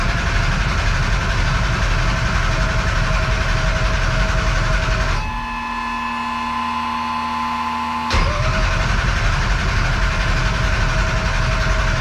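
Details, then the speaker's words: 1200hp Taurus race engine, open header, with a damaged crank trigger. The starter grinds it over at a steady beat of about four a second and it never catches. No-start, so it needs a new crank sensor. "Looks like we're not getting a fire out of the blue turd tonight. But I promise you on the next one, we will hear this thing run. I just need a new crank sensor."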